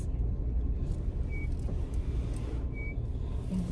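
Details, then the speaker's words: Car slowing while driving: short high-pitched squeals over road and engine noise, ending in a rising chirp. Driver suspects the rear brakes need replacing. Brake squeal. "squeaking I need some brakes I think I need some back brakes"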